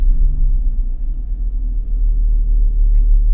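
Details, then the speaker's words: Engine on AEM Infinity ECU, idle base airflow set about five too high, after a throttle blip: deep steady idle rumble hanging a touch high before feedback slowly eases it down to target RPM. "assistant spends a little bit more time at a too high of an RPM and then eventually the feedback gets it down to you know settle to the RPM of the target"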